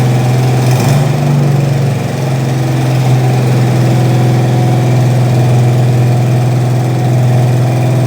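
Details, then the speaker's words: 1968 Mustang Fastback 351W, run after 25 years, cam bedded in, warmed up, after fitting missing torque converter-to-flexplate nuts that caused chatter: deep even V8 idle, no bellhousing chatter or knock — normal idle. "We've bed the cam in, run it up to temperature a couple of times now. Engine sounds sweet. We've got a nice tone coming out the exhaust."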